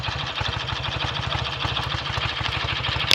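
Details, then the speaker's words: BSA A65 twin after ~6-mile test ride, clutch springs preload increased and carbs and plugs drained and cleaned for misfire; steady, even low thump at a quick idle with no misses or stumbles, clean exhaust; normal idle. "Exhaust is nice and clean now, settling down nicely. I think perhaps it's ready to go home after all."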